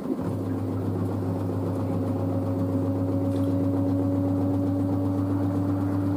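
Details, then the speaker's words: New washer dryer spinning at 600 rpm after a pre-spin: a smooth, even motor hum with a steady low drone and no thumping or banging. It is very quiet; the front panel flexes slightly but the machine stays stable. Normal spin. "so it's so quiet 600 rpm"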